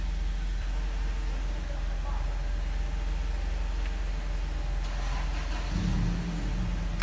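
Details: 2003 Nissan Murano, 198,000 miles, brought in for hard starting with service engine soon light on: low, steady idle rumble with no misses or knocks; idles smoothly, running normally.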